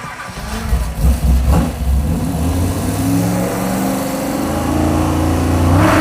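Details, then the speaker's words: Mopar Muscle truck V8: revving above 3,000 rpm, engine revs higher while tach drops, with sharp pops and backfire; traced to ignition control unit. "what just happened is we were revving the thing up and it was backfiring I was watching the tack above 3,000 RPM if I was to Goose the throttle the engine would rev higher but the tack would drop and it would backfire"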